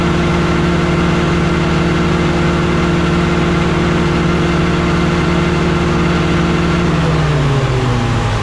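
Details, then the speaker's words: Walker mower deck after fitting a revised gearbox setup meant to cure a noise: steady engine drone with a smooth whir easing down in pitch near the end, and no metallic scraping; the noise is gone. Normal running. "Okay, so I just fired it up and it didn't make the sound at all, but of course I forgot to hit record on the camera, so let's do it again."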